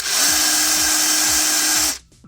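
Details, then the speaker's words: Ridgid 18V SubCompact brushless impact driver: steady high whine with an even hammering rattle about twice a second until released; normal operation. "yeah so it's making that noise because it's sensing and if it senses that it the bolt or whatever you are titing or loosening became loose or tighted enough then it will stop"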